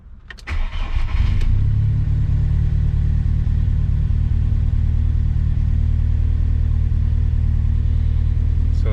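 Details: VW Mk2 Golf hot start after a drive, following fitment of a Mk4 starter that cured its hot-starting problem; short brisk crank, catches within a second, settles to a steady even idle; normal hot start.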